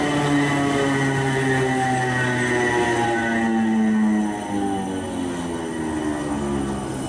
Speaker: the teeth of the gears are cut in a straight line where the whole thing comes into contact at once here an I pulled off Google that hopefully explains it but uh anyway the reason they make this sound is as they rotate air rushes into the gaps created right here and that creates the low growling